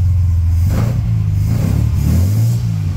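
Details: Restored 1938 SS Jaguar 3½ Litre drophead, choke in use: deep, smooth rumble that swells evenly as revs rise, no knocks or misses, engine sounds healthy.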